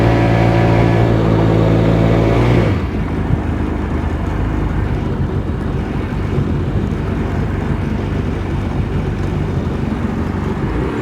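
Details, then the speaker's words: Personal watercraft (GTX Di) after repairs to throttle position, bearings and fuel injector, run over 5200 rpm: steady, even engine drone at speed with wind and water rush. Normal running, problem solved. "Oh, the sweet sound of success. Well, there you have it."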